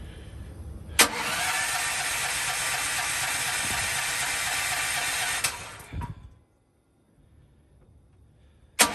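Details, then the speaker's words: Propane-fueled generator, electric start, sitting about 2.5 months, spins steadily about four seconds, roughly four beats a second, never firing; owner unsure whether pressure is high enough. "Do I not have this up high enough? I'm stumped. I'll give this a few more tries, and then I'll have to Google what I'm doing wrong."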